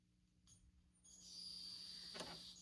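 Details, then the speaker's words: Old M2336 cheap turntable being cleaned, plugged in with case open, left speaker connected; quiet hiss then steady piercing high whistle that persists, lessening slightly after each contact cleaning; noisy signal path suspected, not confirmed. "Nope, it's still mad at me. Yep, still very much mad at me."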